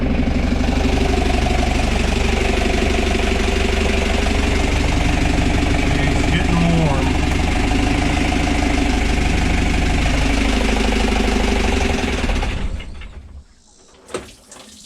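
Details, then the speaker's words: 1985 Outer Reef 26 trawler with 60hp Isuzu C240 (QD60) diesel, first start in 10 years after bleeding fuel system, temperature reaching about 220: steady, even idle with firm low rhythm, no knocks or misses, ran well; water found in fuel. "but yeah that was worthwhile how the engine actually ran so well"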